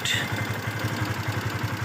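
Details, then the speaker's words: Yamaha FZS V2 motorcycle at 437 km, idling before repair: a rapid clatter of about seven ticks per second over the exhaust beat. Loose tappets and a slack timing chain, blamed on rough riding during break-in. "গাড়ি ইঞ্জিনের সাউন্ডটা একদম বাজে হয়ে গেছে। সাউন্ড টেপিড, timing chain loose হয়ে গেছে। গাড়িটা রাফ চালার কারণে লুজ হয়ে গেছে।"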